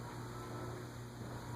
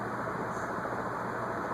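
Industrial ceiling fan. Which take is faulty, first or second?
first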